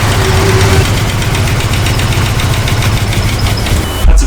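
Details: Nissan Skyline with RB25 Neo engine bought off Marketplace: rapid regular metallic ticking over a rough idle rumble, keeping pace with engine; abnormal knock, cause unknown.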